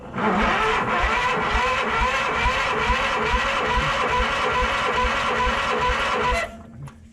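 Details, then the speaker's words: Case 444 tractor pulled from behind a barn: starter cranks evenly for six seconds, never firing; no spark because the ignition points are dirty. "yeah pretty sure it doesn't have spark okay stay tuned okay gave the points a scratchy scratch scratch and uh i think we got spark"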